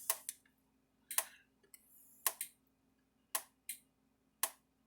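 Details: Zareba A50LIL 50-mile fence charger on repair test, running unloaded at about 10.3 kV, giving sharp, crisp ticks about once a second at an even pace; the charger is pulsing normally.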